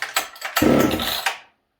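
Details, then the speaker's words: Ported Husqvarna 266SE chainsaw with HS carb, owner suspects worn or sticking needle and seat: fires in short ragged bursts, revs briefly, then dies; hard start, owner thinks it flooded. "Did we flood it? I think we flooded it, guys."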